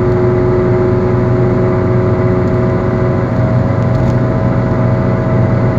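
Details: Car wheel bearing going bad, heard while cruising: a steady droning hum with a fixed tone over road and engine noise. Worn wheel bearing.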